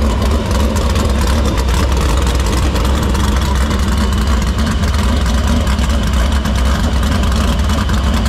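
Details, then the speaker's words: Dirt Silver Crown race car engine fired up after fixing a vapor lock in the fuel cell, the line and the filter. A deep, loud, even rumble holds steady with no misses: normal idle. "next is we're going to fire it up it's gonna breathe fire we hope see what happens"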